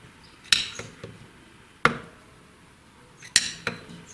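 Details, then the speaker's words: Reconditioned cylinder head, camshaft pushed endwise after bed work, dial indicator reading about 0.08 mm end play: sharp single metallic clacks, about four in four seconds, audible cam clack but under 0.1 mm, within spec and long-lasting. "ну, на звук даже, на слух слышно, как распредвал клацает. Как бы до 1/10 самое то, этого очень надолго хватит."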